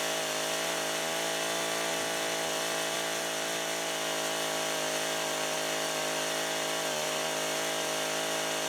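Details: Husqvarna 562xp AutoTune saw, long unused and doing its first work, cutting at about 15 degrees or colder on cold gas and oil after 30–40 s part throttle to self-tune: strong, steady high-revving buzz under load, no bogging or surging; healthy.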